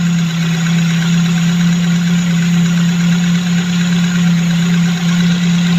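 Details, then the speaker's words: Tavria that stalled while driving, at normal idle after the ignition commutator was replaced; smooth, steady low hum with an even beat and no misses. Hall sensor confirmed working, so the fault was the old commutator. "тобто є положення що проблема була саме в комутаторі тому що як тільки я його замінив оцей зняв старий ось оце доробло отаке поставив ось цей і все у нас запрацювало"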